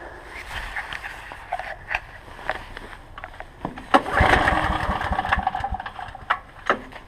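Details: Ridgid 5700 watt generator, sat about 6 months, cold start on aged gas preserved only with Stabil; pull-start tugs, then engine catches and settles into a steady even run amid clattery handling noise; normal cold start.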